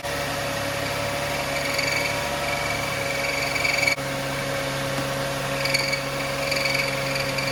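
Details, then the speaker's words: 2005 Lexus ES330, 3.3 L VVT-i V6, cold-start idle: high intermittent squawking chirp every second or so, loudest behind the timing cover; a problem with the timing belt or something under it. "but that noise was most predominant and loudest behind the timing cover here so that's telling me something either the belt or a underneath the timing belt is a problem"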